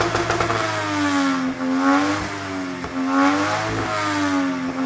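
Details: Mazda RX8 with 1JZ-GTE VVTi swap, after installing a Spitronics Mercury 2 ECU: high revs bouncing off the rev limiter in uneven surges with ragged cut-outs about every 1.5 seconds; suspected misfire, not sounding healthy.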